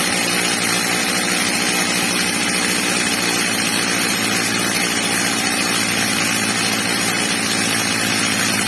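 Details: Old, well-worn Stihl MS230 chainsaw after fitting a new replacement carburettor and tuning it: H-screw max revs set slightly below the ~14,000 rpm target; steady high-rev buzz at full throttle without surging or bogging, normal high-rev run.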